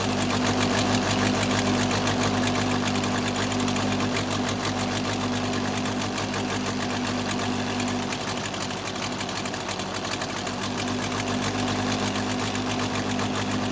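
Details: Case 580C backhoe diesel after valve adjustment, injector lines cracked one by one at idle; uneven lumpy beat about three a second, second cylinder weak; owner suspects second injector, valve or piston rings, not the line: misfire on one cylinder.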